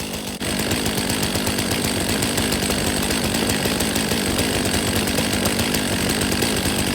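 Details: 2023 Stihl MS500i 79cc fuel-injected chainsaw, after a new NGK CMR6H plug: a steady high-revving two-stroke buzz holds evenly with no sputter or surging. It was flooded and now runs normally.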